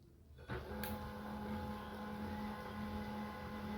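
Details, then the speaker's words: HP LaserJet 1020 after the grinding noise fix, scanner noise sorted out: soft, steady mechanical hum with an even tone after power-up and no grinding or rattling; operating smoothly. "अब इसके अंदर का आप sound देख रहे कितना smooth sound आ रहा है इसके अंदर का।"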